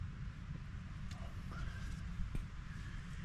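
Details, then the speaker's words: 1931 Ford Model A 5-window coupe, all-original four-cylinder, idling after fuel line was blown out and filter cleaned following a no-start; slow, even, lumpy low chug like a tractor, steady beat, no knocks; normal healthy idle. "it sounds like a tractor"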